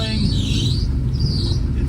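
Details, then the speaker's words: 1965 Plymouth Barracuda with a 360 V8 (Magnum heads, EFI) and Tremec TKX five-speed: deep, lumpy idle wavers unevenly and barely keeps running; timing and base fuel settings suspected. "unfortunately it doesn't really want to continue to run that is the problem yeah [Music] I don't think I'm going to take this all the way to the river I think you need to check the timing maybe the base fuel settings because it it is not happy"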